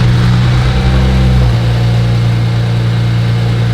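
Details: BMW 335i petrol engine idling normally with a steady, deep hum and no knocking or ticking; the car was sold as having rod knock but turned out not to.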